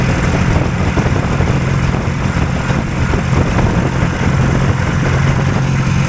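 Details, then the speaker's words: Hurricane hovercraft two-cylinder engine after the drive shaft bearings were adjusted: a steady, even drone at high idle while pulling the fan load, with no stumble. Both cylinders now sound matched. "oh they're about the same now [Music] [Music] yeah they're noisy in there it's got a pretty high idle"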